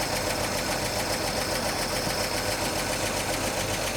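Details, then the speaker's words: 1941 Chevy coupe six, newly fitted generator and fan belt, idle a little high: fast, slightly uneven idle with a faint stumble; owner suspects a sticky valve or too much valve lash. "It's got a little hiccup in it. And I think uh I want to check the valve latch. It's a little rough."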